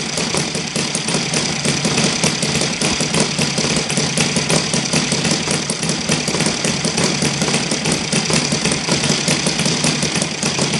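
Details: Saito FG-60 R3 four-stroke on spark ignition at low idle while Hall sensor timing is stepped from advanced to retarded: rough, shaking chatter and uneven beat; heavy vibration, timing suspected but adjustments showed no clear effect.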